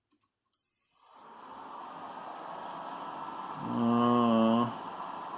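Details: Computer power supply after a hot-glue insulation repair attempt on the coil, jump-started: faint hiss then a steady high buzzy whine swelling; coil whine no better, possibly worse.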